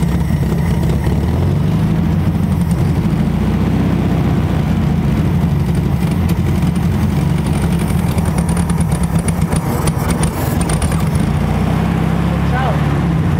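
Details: 1968 Volkswagen Beetle barn find, sat over 20 years: loud, deep air-cooled chugging at steady idle, slightly uneven and lumpy, running rough on fuel fed straight into the carburetor with starter fluid.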